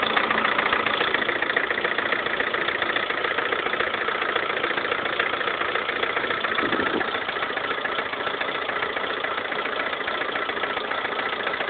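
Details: 2011 Lada Kalina 1.4 16-valve, 20,000 km, knocking suddenly appeared overnight; sharp regular knock at idle, three to four per second; piston knock, cured by dealer fitting piston-rod group of different size class.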